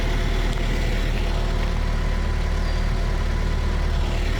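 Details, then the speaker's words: Toyota TE72 wagon barn find, owner-rebuilt engine with documentation, needs alternator; deep steady idle rumble with even beat, no knocks, misses or ticks — normal healthy idle. "But it runs, it drives nice, it idles good."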